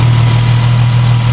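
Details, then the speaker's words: First start on a built car: a smooth, deep, unwavering idle with no knocks, misses or ticks. It is a normal, clean idle. "whoo-hoo let me just give you someone a nice crisp tone it idles fine"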